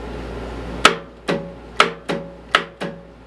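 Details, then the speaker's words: Murray riding mower, choke on, brake set, neutral; six sharp metallic clunks about half a second apart with no cranking; starter engages but can't turn flywheel, engine appears locked up. "let's see what's gonna happen well I can hear the starter trying to engage but it's not turning that flywheel at all"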